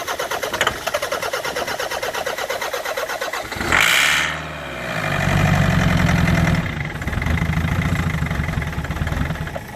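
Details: Land Rover Freelander 2.0 TD L-series diesel farm vehicle cranking with an even starter chug of about four beats a second and a brief stumble, but it never catches; a no-start, with a pipe later found leaking.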